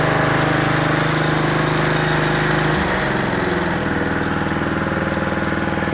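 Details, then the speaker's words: John Deere 14SE mower, Kawasaki FC150V overhead-valve engine, electric start, throttle up without choke after recent running, after carburetor cleaning (ran poorly before): steady, even single-cylinder beat settling smoothly; normal running. "this is a really nice overhead valve engine and runs great now"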